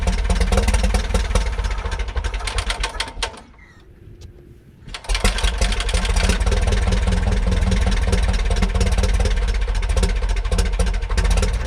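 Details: 1941 Piper J5 with a Continental C85 engine, start after about 30 years dormant (last ran 1995), throttle just above idle: fairly even low beat with a brief dip, then it settles back into a steady idle and runs fine.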